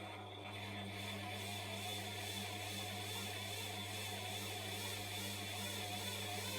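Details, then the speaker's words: Bosch washing machine drum driven by a second motor at about 140 volts: steady motor hum with thin high squeal as the belt spins on the small pulley without turning the drum, possible flat spot on belt or pulley; belt slip squeal. "But it is speeding up. So I can give it a bit more, but it will just squeal and spin maybe. Well, yeah. So it's just spinning."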